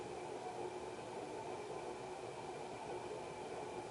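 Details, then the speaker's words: 1991 HRS L-356 industrial ceiling fan, cast iron motor, aluminum blades, at medium-low: constant dry hiss and rough rumble with faint steady tone, slight wobble; worn bearings noisy. "Alright, we'll bump it up to medium-low. Start to hear the bearing noise now. Fan just has a little wobble."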